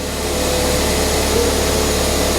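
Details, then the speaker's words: Ford Fiesta ST180 non-runner, first start: petrol engine idles fast and steady with no throttle input, high idle blamed on a broken inlet manifold causing a large intake air leak. "idling massively High I'm not touching the throttle there that's because the inlet manifold broker a bit so engine malfunction it runs"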